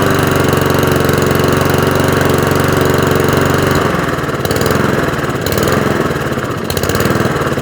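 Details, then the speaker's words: Shed-find Rover lawnmower with a Honda engine, started first pull after a service: a fast single-cylinder beat, then at idle the speed surges up and down; hunting at idle. Owner says it needs a few adjustments and it might have an idle mixture screw. "It needs a few adjustments. It is hunting a little bit when I drop it down to idle. That's that surging you can hear."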